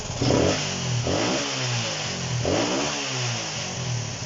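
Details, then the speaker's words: Honda CB125 RS single under restoration, after fixing fuel starvation from a bottle feed, a loose spark wire still suspected: several blips with revs climbing quickly and falling back cleanly, much better than before, though very sharp blips can still bog. "but it revs out a lot better you'll hear it here"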